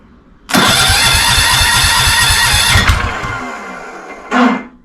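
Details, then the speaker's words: Old Wheel Horse Lawn Ranger with Tecumseh engine and carburetor problems, run on starting fluid: fires and chugs with a quick even beat for about two seconds, then dies; fuel-supply fault. "Well, she did fire. You hear it? Well, that's what we were after. All right. Well, she starts, she runs. So, I got to figure out a fuel system."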